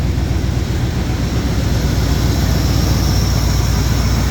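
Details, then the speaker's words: Jeep J10 with a rebuilt carburetor: steady low rumble on a cold start with no high idle or kick-down. It idles at about 1,000 RPM instead of about 1,600; the owner plans to check the choke high idle. "the only thing is it doesn't have high idle so when I turn it on it just idles at like 1,000 RPM it's not idling at like 1600 like it should"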